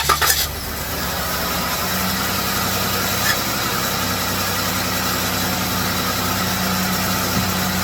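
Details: 2017 Dodge Caravan just started after oil change and thermostat replacement: after catching, settles into an even, steady hum with no ticking or stumbling; check engine light off, healthy idle, running to check for leaks.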